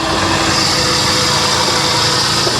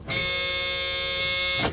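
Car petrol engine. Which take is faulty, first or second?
first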